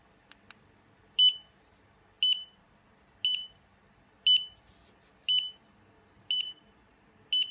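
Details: Xiaomi Yi action camera bricked after a failed firmware upgrade: sharp high beeps repeat steadily about once per second, continuing until the battery dies.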